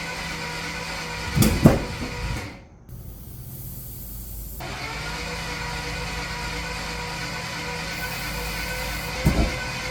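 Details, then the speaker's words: Rebuilt Corvette V8 first start after rebuild, timing still a little off: low, uneven rumble with occasional stumbles and dips at low idle, struggling to hold smooth idle; owner suspects intake not fully seated due to missing stud, leaking. "We got this car running and it sounds great. You heard it at the low idle when it was struggling a little bit."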